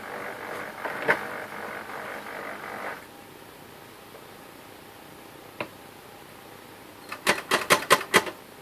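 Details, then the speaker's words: HP LaserJet P1102 laser printer after repair of a loud grinding noise by replacing the belt gear and greasing the gear box, toner cartridge installed: short motor whir and light paper-feed clicks, no grinding; normal operation. "Toner cartridge installed and printer is turned on. You can hear there is no noise this time."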